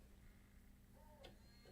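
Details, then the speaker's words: Bose 3-disc CD changer after repair, switching to drive 4: quiet light motor spin with a few crisp ticks as the mechanism shifts, no skipping or chattering; normal drive switching. "All you hear is just the light spinning of the motor, which is normal. You're going to always hear that, but no skipping, no chattering is going on whatsoever."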